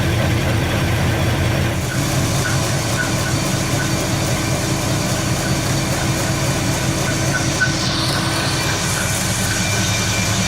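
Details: 1974 Nova 454 big-block (7.4L) V8 with Edelbrock Performer intake, over 37,000 miles, running in the car: deep, steady idle with an even lope and no knocks or ticks; healthy, nothing wrong.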